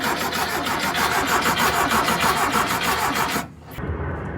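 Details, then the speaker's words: 1973 VW Thing with a swapped-in VW Beetle engine, cranked after restoration work: steady starter churning with no firing, no fuel pressure and the fuel pump not pulling gas; later found out of fuel. "oh look at that got lights oh that's a good sign s yeah it's not it's not pulling fuel pressure"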